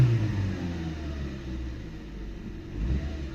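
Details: Nissan Micra K11 after fuel filter replacement: revs climb and drop back cleanly with a steady low rumble, no stumble or hesitation; fuel delivery sounds fine and the car feels better, the previous flat spot gone.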